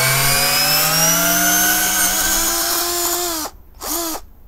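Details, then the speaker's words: Parkside PBSA 12 D4 12V cordless drill (28Nm, 2-speed) driving oversized screws on a 2Ah battery with a hot housing: rough, dropping whine with grinding; plastic bits ejected from the vents. Fan probably fell off the rotor and is hitting the motor. Failing motor. "Something is grinding inside This drill is out of business"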